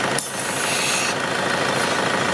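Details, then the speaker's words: Mercedes diesel idling with the brake booster vacuum hose disconnected: a steady airy hiss as the open line sucks air. Suction is present, so the vacuum supply works. "Donc si tu entends un sifflement, un truc de dépression, en général c'est par là quoi."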